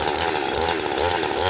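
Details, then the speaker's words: Neotec NH843 Husky 543XP clone chainsaw, new out of the box with carb only slightly adjusted: under steady throttle the high scream wavers and surges unevenly; owner suspects the carb screws need adjusting. "i'm not smooth on eye on on throttle there guys i don't know if you could hear it but that's not me doing that that's the saw doing that because i'm being smooth with my my grip again i gotta play with that carb a little bit"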